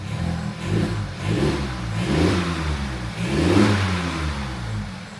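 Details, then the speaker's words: 2015 Audi A3 1.4 TFSI, replacement engine fitted after a bearing knock, first start, idling on its own before coolant is filled: smooth, clean revs rising and falling without knocks or rattles; normal revving. "This sounds fresh. It sounds fresh."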